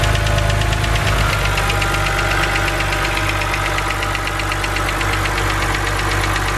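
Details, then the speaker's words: BMW 130i N52 engine, bonnet open: quick light ticking over a steady idle from the hydraulic lifters at the top of the engine; known harmless N52 lifter tick. "so as you guys heard that is the infamous BMW n52 ticking noise now I just want to say that this noise is not harmful to your engine in any way"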